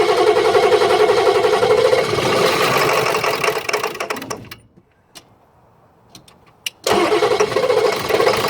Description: F350 not starting, knocks when trying.